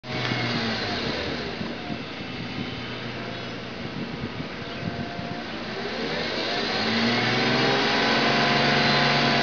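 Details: BMW 328i E36: painful shrill whine from the engine bay that rises and falls in pitch as the engine is revved.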